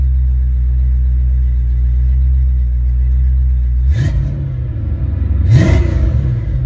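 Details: Ford Mustang mass-air car test-running a rebuilt A9P ECU: smooth low idle, then revved up and held, two clean quick revs rising and falling without stutter or breakup; healthy engine.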